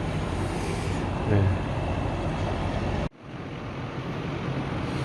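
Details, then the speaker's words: AC outdoor unit on R22 running with a steady, even whoosh and low hum and no clattering after overcharged refrigerant (about 100 on the gauge) was bled to about 80: normal running after repair. "시레기가 어 딱딱 딱딱거리는 소음 없이 잘 돌고 있습니다"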